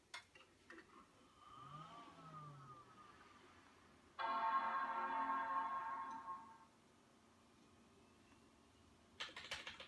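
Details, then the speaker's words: PowerMac G5 dual 1.8 GHz startup: short rising tone then loud, even fan rush for about two seconds that dies down; normal startup fan roar. "just sounds so awesome so uh I'm G to go ahead and start spamming the option key and you can hear we go the fans rev up as we hit the boot menu"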